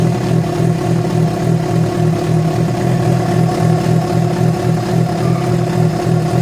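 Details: Yamaha FZ6 with abnormal engine noise that began after riding about 70 km on two cylinders because of a failed ignition coil connector: steady, fast rumbling idle with a rough, uneven pulse underneath; cause unclear.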